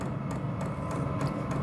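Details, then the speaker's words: Vevor diesel air heater controlled by Bluetooth, power raised from minimum to maximum: light regular ticking about three per second over steady fan hum as the fuel pump picks up; normal fuel pump pulsing. "can hear the the pump picking up we go all the way up see what it does it goes all the way up"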